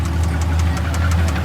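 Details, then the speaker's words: Nissan 350Z drift car with the DE engine, broken after drifting when it died at a light: a deep rough idle with a steady knock of about six beats a second. The owners call it rod knock. "All right, yeah, so that's definitely broken, as you guys can hear it. So apparently it did not like the drifting at all."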